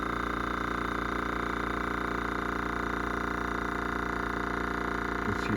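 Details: New Gaahleri GT-918 airbrush compressor running under a card table while pressure builds: a steady motor hum with a fast regular pulse of about 2.5 per second and no knocks or rattles. It is running normally and is slightly quieter than the owner's older compressor.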